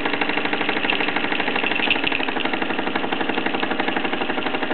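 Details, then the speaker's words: Mamod SE2 raised-base steam engine on full regulator, wide open, with a leaking safety valve: soft regular chuff about four beats a second easing off as steam pressure falls, engine running down. "this one's on full regulator wide open but as you can hear and probably sense that the engine is gradually slowing down that's the steam pressure drops certainly not being helped by that safety valve"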